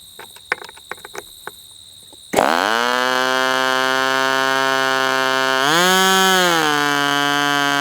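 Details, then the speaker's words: Northfield Ross Black Demon 61 glow engine on its first bench run on a test stand, about 71°F. Low-speed needle leaned a hair, and the loud, steady high-pitched scream climbs in pitch and settles. Lean running after the low-speed needle adjustment. "Let's just lean that low speed just a hair. See what happens now. >> It's loud. Sounds like an engine from the 70s."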